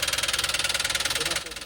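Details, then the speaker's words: Toyota Wigo whose engine swallowed much water through the air cleaner: sharp, heavy knock about eighteen times a second over a rough idle, loud enough to drown out talk, from a bent connecting rod. "Ayan confirm talaga mga boss na talagang marami-raming nahigop na tubig ong kanyang ano ah makina. Hindi na nga marinig yung usapan namin."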